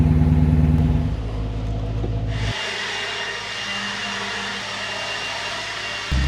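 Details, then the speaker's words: BMW E92 that had sat a while, now running: deep, smooth V8 rumble holds steady then eases down, no tapping or knock. Normal running. "No, it's still running, and it's not knocking. I take that as a win."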